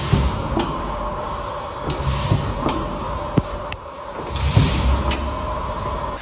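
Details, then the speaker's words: Tesla Model Y suspension ball joint clicking: sharp, uneven clicks about once a second over cabin hum, heard on hard acceleration or stop-and-go regen braking; dry ball joint, fixed by greasing at service under warranty. "异响基本就是急加速啊，或者动能回收快停的时候，一走一停的时候哒哒的响啊。质保期内是免费的，去售后球头抹油，30分钟搞定。"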